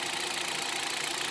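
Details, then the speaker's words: Hyundai Solaris 1.6 126 hp, automatic, 60,000 km, at idle on 5W-40 oil: quick light even ticking over a thin hissy idle; engine knock at idle, cause unclear. "мы наверное с вами сравним работу двигателя 60000 стучит и стучит как работает"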